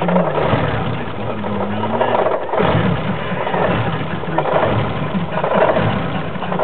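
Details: BMW E30 idling: idle swells and dips unevenly with an uneven low beat instead of a smooth steady note; rough idle.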